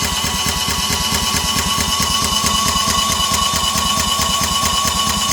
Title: No start 2